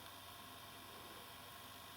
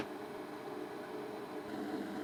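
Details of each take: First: Ferguson Videostar 3V36 VHS recorder after replacing the noisy capstan motor, loading a tape: only a faint, even hiss with no whine or rumble; the new motor runs quietly. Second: Ferguson Videostar 3V36 VHS deck, previously repaired but noisy, starts up into a loud, steady whirring drone from a noisy capstan motor, due to be replaced with a replacement motor along with a belt.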